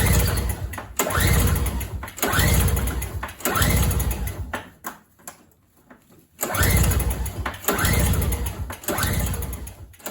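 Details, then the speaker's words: MTD 4.5 21-inch single-stage snow blower that has sat too long, pull-cord cranking before starting fluid: repeated churning pulls about every second and a half that die away, never fires; cranks without starting, cause not confirmed. "one as you can see uh that was not enough to even start the engine"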